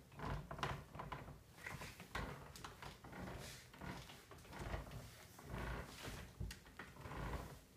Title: Herman Miller Embody squeaking noise squeak squeaky 12/11/2013